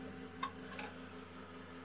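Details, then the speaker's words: Old retro gaming PC at power-on: a few sharp, irregular clicks over a steady fan hum; hard drive suspected to be failing again. "Festplatte scheint schon wieder im Eimer zu sein denn man hat sie gerade dieses klicklock klicklock gehört"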